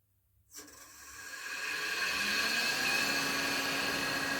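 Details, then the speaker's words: Shopsmith motor powered up at about 500 after clearing an RPS error without removing the motor or fan, dirt still inside: spools up to a steady, even whirring hum with no grinding or surging; running normally. "okay didn't have to pull the motor didn't have to pull the fan I know there's dirt in there but it's working"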